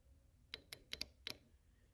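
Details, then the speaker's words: 2003 Honda Civic with VTEC not kicking in (bogs, P1259): VTEC solenoid unplugged and bench-tapped with 12 V. About five crisp clicks, one per tap, so the solenoid works and the problem is elsewhere. Normal VTEC solenoid operation. "you hear that I mean it's good I mean it's working so your problem is something else"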